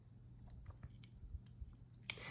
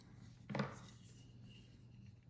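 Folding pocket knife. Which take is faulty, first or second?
first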